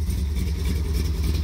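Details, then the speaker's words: 1973 Plymouth Satellite Sebring Plus with 451 stroker big-block V8, repaired and restarted on a cold start with 50 lb oil pressure: deep, even burble at steady idle, no misses, knocks or ticks; running excellently. "and she is just running excellent and they say a 73 can't be a muscle car all you got to do is build a pretty freaking neat engine"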